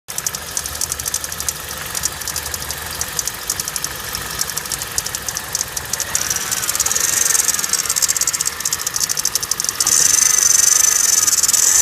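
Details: 2009 Kia Cerato: a sharp, fairly regular ticking knock at about four per second that grows louder as revs rise. The source of the knock is unknown.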